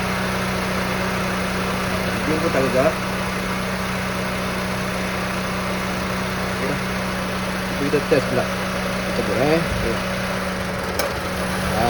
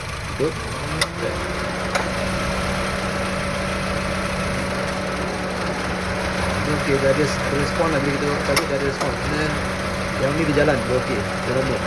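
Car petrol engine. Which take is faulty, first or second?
second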